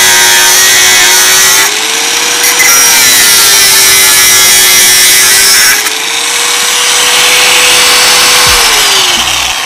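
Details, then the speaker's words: Bosch GWS 060 angle grinder pressed into a cut: high whine dips only slightly and recovers, motor holds speed and power stays strong; grinder healthy under load. "coba saya tekan tenaganya masih tidak berkurang guys tenaganya masih powerful kalau ditekan masih buat suaranya ekek gitu guys"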